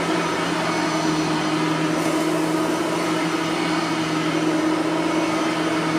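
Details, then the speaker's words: A Bissell 3510 vacuum, after its brush roller bearings were greased and fixed, runs with a steady, even motor roar and constant low hum, with no scraping or rubbing; the brush roll runs smooth and healthy. "there's no scraping anymore because I have fixed the brush roller bearings so we won't have to hear the uh scraping anymore"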